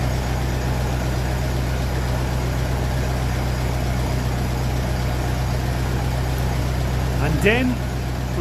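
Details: 1957 Ferguson 35 TVO tractor idling on petrol just after starting, before warm-up, with rocker shaft replaced after inlet clearances had grown large; steady low idle, smooth beat, no top-end tapping; normal idle.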